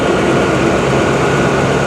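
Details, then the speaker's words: 1998 Ford Explorer, 26 years old, bought as a non-runner with a suspected bad fuel pump, started on a fully charged spare battery: it fires right up to a steady, smooth low rumble with no ticking, knocking or smoke. "that's the smoothest 26y old car I've ever heard run no ticking no knocking no smoke it fired right up"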